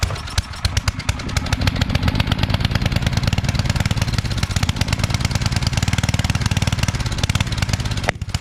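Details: Coleman Powermate 5000-watt generator, sat a couple years, after oil change, fresh gas, cleaning and new fuel line clamp: small engine chugs with uneven stumbling pulses and wavering beat; runs weak and rough.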